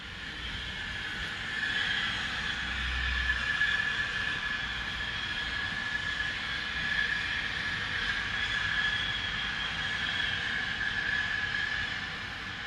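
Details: Continuous loud hiss with sharp high whistling edge, air or steam leak-like; Spooner Industries, Ilkley, 6 April 2021, 8.45am, recorded within a neighbouring property boundary, audible over 100m away; source unknown.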